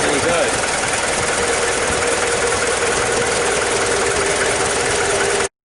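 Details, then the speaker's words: Mazda WLT diesel in a Ranger, first start after VE injection pump swap: lines bled, timing eyeballed, pump pre-filled with 2-stroke oil after sitting. Steady, even rattly diesel idle with no misses. Normal running. "that weren't bad, was it? For eyeballing the timing and just kind of give it a go."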